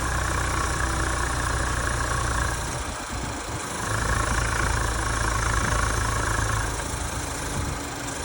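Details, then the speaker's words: 2021 Chevy Silverado 1500 2.7L with 45,000 miles, runs fine, PCV valve replacement: steady idle with soft airy hiss drawn in at the open oil filler cap; owner's research says slight crankcase suction is normal. "they all say that there is a little bit of suction on the engine when it open the oil filler cap"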